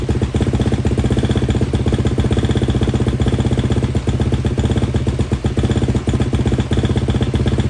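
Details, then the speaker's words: KTM 250 at idle after cleaning the intake boot and fitting the subframe, silencer and air filter, choke off, during a short first heat cycle: steady, even, crisp idle without hunting or misfires, sounding healthy. "Guys, I'm pretty pumped. That sounds good. Was able to get the idle as there's no the choke wasn't on, so excited."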